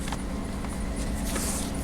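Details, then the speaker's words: 1992 Oldsmobile Silhouette van with a misfire, no trouble codes stored: it starts but runs on five cylinders, with a lumpy idle, steady low drone and irregular stumble like one dead cylinder. "five cylinders still starts no problem"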